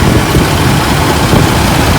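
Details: 4.3L Vortec V6 after new oil pan gasket: deep, smooth, even idle with steady low rumble, no knocks, ticks or misses; running healthy.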